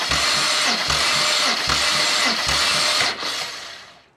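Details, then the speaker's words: Compression test on a removed BMW N54 engine from an E90 335i, cranked until the needle stops climbing: even, steady beat of nearly three pulses a second, no missing strokes; cylinder one reaches 200 psi, healthy. "uh now i did just say on camera then and that it was only 150 psi but that is actually gone to 200 psi"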